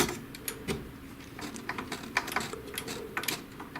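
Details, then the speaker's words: HP DeskJet GT 5820 printer with E3 error that wasn't picking up paper, after bending down the black parts that blocked the sheet: pickup rollers draw the sheet through with light irregular clicks and soft whirring; paper feed now works normally. "Лист бумаги пошел. Подправленненько. То есть, видим, наши ролики захвата лист бумаги тянут."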